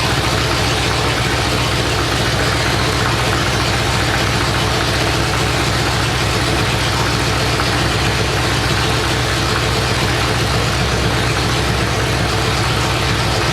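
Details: 427 big-block Chevy on an engine run stand at first fire after a long time unrun: loud, even open-pipe burble with a steady firing beat, no ticks or knocks; normal idle.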